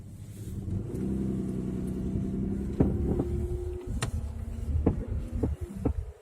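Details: Mitsubishi Legnum with no stabilizer bar, new straight arms and used upper arms: sharp irregular clunks about every second over a low rumble; owner asks whether the curved-arm ball joints could knock and squeak.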